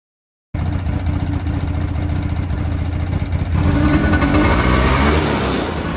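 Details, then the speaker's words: 2008 Ski-Doo Rev two-stroke snowmobile sold as blown up: crisp even burble, picks up cleanly when revved, no knock or rattle; fired right up, not blown up, normal running and revving. "all right so since this is way rather uneventful that this thing actually just fired up and probably was one of the best deals I've ever gotten fire right up it is in fact not blown up like the ad stated"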